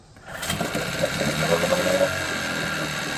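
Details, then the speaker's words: 1987 Johnson 9.9 two-stroke outboard, cold start after sitting 24 hours, no choke, primer squeezed: it catches on one pull and settles into a steady, buzzy idle of about 3.5 beats a second. Water stream stronger, and the idle is less choppy than yesterday. "No choke, one pull after sitting 24 hours to pop off an idle like that. I cannot complain."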